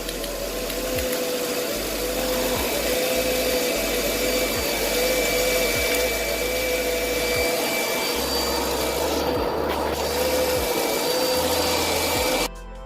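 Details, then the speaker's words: 2008 Mercedes-Benz CLS500 V8 with P0300 and cylinder 1 misfire codes: engine runs with an uneven, stumbling beat and irregular low thumps; an ignition coil gives no spark. "I do not hear a spark from this coil as well."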